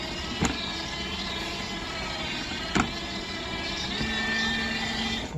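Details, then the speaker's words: Dolphin S300i pool cleaner during self-test after cleaning and refitting impeller: steady motor whir with occasional sharp clack seconds apart; suspected worn drive tracks skipping a tooth or belt problem, not confirmed, gears not skipping. "i wonder if these tracks are just worn i think you can get the tracks they might be skipping a tooth"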